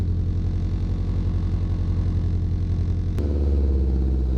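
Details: Acura Integra exhaust before repair: loud, raw, deep rasp growing harsher with revs, sounding like an open header, caused by a huge hole in the bottom of the flex pipe; fix is replacing the flex pipe.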